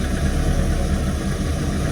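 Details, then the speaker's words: Ford Escort XR3i rough runner idling after a cold start: smooth, even idle with a regular low thrum that never stumbles or dies, running on its own; normal idle. "even though it was kind of struggling, it started and it's running on its own steam. So we're going to class that as a win."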